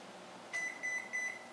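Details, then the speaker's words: Electrolux MEF33 220V microwave after replacing the control panel (buttons previously unresponsive): three short, even, high beeps about a third of a second apart in a quiet room, the normal end-of-cycle signal after a 17-second heating test. "vamos ver se ele vai apitar antes não funcionava o painel ficou novo novamente aqui nem parece que foi substituído modelo mf 3332"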